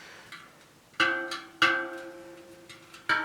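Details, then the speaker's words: Bent 29er rim (WTV ST130) from an On-One hardtail, after tightening the low spoke: the plucked spokes ring at a matching clear pitch. Spoke tension is now even. "I'm just locking that one off a bit nice to spin it that's a good same sound"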